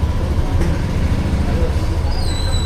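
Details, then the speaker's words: Yamaha NMAX Tech Max scooter idling after big CVT oil seal replacement and TCU pulley calibration, pulley now moving, no errors; low, smooth, very quiet running like new, no rattle or grinding. "Okay na. Sobrang tahimik. Parang bago. Tahimik na, basta mahimik."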